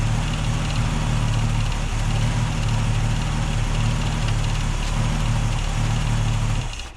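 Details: Holden UC Torana six-cylinder on a temporary fuel cell, original tank fuel pump disconnected: steady even low idle drone, no misses or knocks, then shuts off cleanly; runs healthy.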